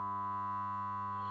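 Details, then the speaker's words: Adam Audio A7X studio monitor on the bench, owner said it "sounded funny": a thin 1 kHz test tone nearly buried under a loud fluttering low mains hum; cause not confirmed. "It's powered up, and we have a nasty sort of fluttering hum coming from it. I don't know if you can actually hear, there is a 1k tone coming through there as well, but it's pretty well obscured by the sound of the speaker there."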